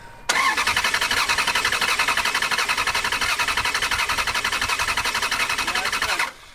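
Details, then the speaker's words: Ferrari abandoned for years in a foreclosed house that won't start, cranked with fuel pump relays out for a compression test: steady even cranking about 86 pulses a minute; readings 180 to 210, judged fine, normal even compression. "in my opinion this compression test turned out fine and while there's a little deviation between 180 and 210 it's not enough to cause concern"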